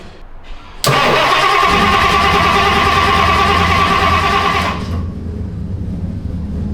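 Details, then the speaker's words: 1960s Ford Thunderbird that sat 16 years, after refilling with gas and reconnecting the fuel line: the starter cranks steadily about three beats a second for four seconds but it never catches. Suspected flooded, then the carburetor not getting fuel. "It's flooded probably. So, it's still not working. Okay, carburetor is not getting fuel."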